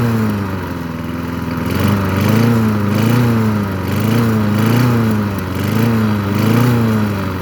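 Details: Craftsman 22-inch push mower with an old-type Briggs & Stratton 6.0 engine. Runs steadily with only a slight rhythmic pitch waver, no misses or knocks; normal running.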